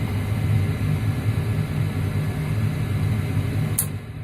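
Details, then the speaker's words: Carrier gas furnace: inducer motor running, igniter click, then gas valve opens and burners light and stay lit, steady low burner rumble with one crisp click; flame sensor working, normal ignition. "I'd be able to hear the click they're a little click there's the globe that's good now you hear another clip which is bass coming in and it should at night"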